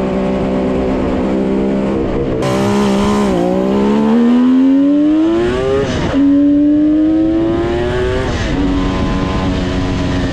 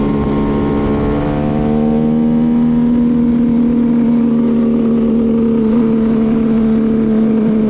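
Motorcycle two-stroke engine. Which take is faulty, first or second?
second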